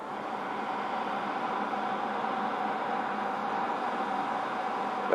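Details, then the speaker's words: Brand-new RCA TV tuned past channel 52: steady, even hiss of static with no program sound. Owner suspects interference from cellular (Verizon, AT&T, Sprint) or public safety signals, not confirmed; other TVs give a pulsing tone instead. "on this TV it's static but on some other TVs it you can hear like a a tone a pulsing tone when that when that occurs"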